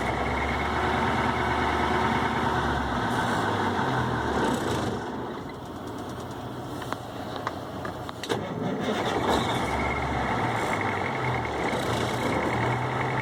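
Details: Cummins VT-903 diesel, Cummins tech suspects bad front fuel pump seals (hard starting, runs past governor, white smoke): revs up, sags, then picks back up with a ragged beat, not holding steady idle; fuel pump fault suspected.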